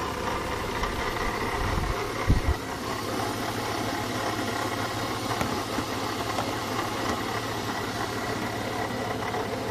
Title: BMW E36 320i Bad Water pump